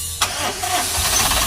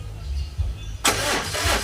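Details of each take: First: Suzuki Super Carry with hot hard-starting: brisk, fast, even cranking catching almost at once with no dragging; starter turns engine strongly. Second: Suzuki Super Carry, hot hard-starting: starter churns in quick uneven bursts then engine catches after ~10 minutes cooling; starter cranks strong when cold but slow when hot, so starter replacement planned after injector swap didn't fix it.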